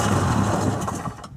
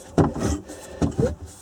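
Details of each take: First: 1994 Sea-Doo SPX after purging crankcase water, with gas poured in and plugs refitted: low, ragged putter as it briefly fires on primed fuel, then dies within a second. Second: 1994 Sea-Doo SPX with water in the crankcase, engine turned slowly by hand: rough scrape about once a second; owner fears rusted crankshaft bearings, not confirmed.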